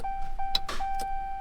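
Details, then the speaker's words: 2021 Ram 2500 Cummins diesel: pressing start gives a single sharp click over a steady dash chime and no crank; code P2509 (ECM/PCM power input intermittent), and the owner assumed the starter, but the batteries were dead. "pushed the start button and all I hear is Click no start yay Dodge so my truck is busted"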